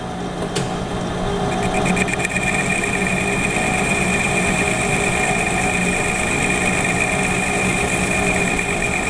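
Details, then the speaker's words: Lathe finishing cut at 550 rpm, 0.004 in (0.1 mm) per rev feed, 0.040 in (1 mm) on diameter, with a right-hand HSS tool bit after lapping and honing; steady hiss, clean ring, no chatter; nice finish. "okay that's a pretty nice finish so that's a pretty nice finish"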